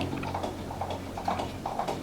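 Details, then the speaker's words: GMC 56-inch industrial ceiling fan, unrepaired, slowing after switch-off: loose clack about twice a second over soft whir; bent blades make it wobble and rattle. "Dan juga saat dimatikan. Oh, berisik sekali. Kurang lebih seperti itu ."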